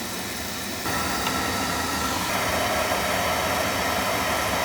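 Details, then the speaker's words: Boiler on a service call for leaking water, with a bad expansion tank, purged of air. The burner lights into a steady, even roar with no rumble or pulsing; normal burner firing. "open this take the holes off and we're ready to rock and roll all right houston we have ignition"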